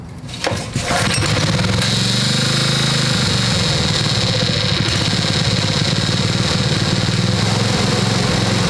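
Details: Little Wonder edger with Honda GX-120 single-cylinder, neglected for years: starts on the pull and runs fast but the beat wavers and stutters; problem persists, carburetor removal needed.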